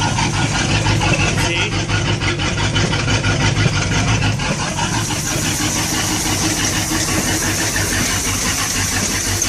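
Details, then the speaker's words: Sea Ray boat's Mercury 350 V8 with Rochester Quadrajet four-barrel, divorced choke, previously hard to start cold, primed once, first start in over two weeks: catches quickly and settles into a steady, even idle with no misfire or stumble; normal cold start. "so i fired right up which is really good"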